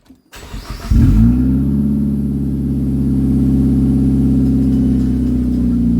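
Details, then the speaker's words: Four-cylinder flip car with an exhaust of unknown history: catches and settles into a loud, buzzy, rattly, tinny drone like a can of pennies. Raspy, loud exhaust note. "no sorry guys but in my opinion that sounds like absolute garbage no offense that sounds like you're shaking a can of pennies that sounds like hey i've got four cylinders that's all i can afford"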